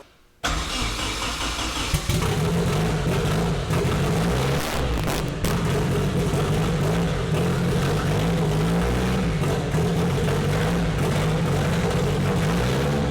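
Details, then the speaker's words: KA24DET-swapped Datsun 510 wagon on MicroSquirt ECU, first start after fixing cam sensor offset, no idle air valve: catches, then surges and stumbles, only staying alive on throttle; rough running, very lean, timing stuck at 15°. "uh runs like because it's stuck at 15° timing and it's super lean uh when I was trying to Revit there just keep it alive"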